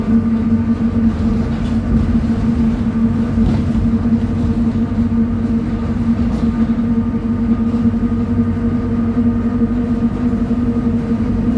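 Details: 2007 Torino bus, Mercedes-Benz OF 1722M chassis, driving at high revs: steady droning hum with a mid-pitched whine over the engine, pointing toward the rear axle; suspected differential whine, not confirmed.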